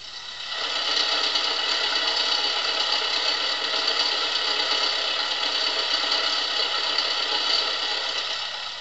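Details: Steady, thin metallic clatter over an idling petrol engine from loose, noisy distributor bob weights; the clatter disappears when engine speed is raised.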